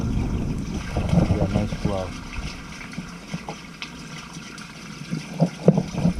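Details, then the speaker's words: Main sewer line after clearing a clog, during repeated toilet flushes: water gushes and gurgles steadily out of the line with no backing up; the drain is flowing freely again. "we can't see the curb of course but it sounds good she's running right out"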